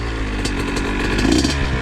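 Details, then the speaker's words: Honda CR80 two-stroke with new Keihin PWK 28 carb, air and idle screws not adjusted: ragged, uneven crackle that stumbles instead of holding a clean idle. Runs rough; the old PE 28 carb never tuned right either. Cause not yet confirmed. "haven't made any adjustments no air screw no idle screw no nothing so that's why it doesn't want to die but my old one not used to do that too so I can never get tuned right"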